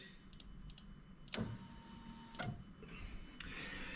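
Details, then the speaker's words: 3UZ-FE VVT-i engine from 2000-03 Lexus LS430 with ECUMaster Black standalone ECU harness: two sharp relay clicks about a second apart in a quiet room as the fuel pump relay output is toggled normally. "And I can hear the relay clicking in the background there."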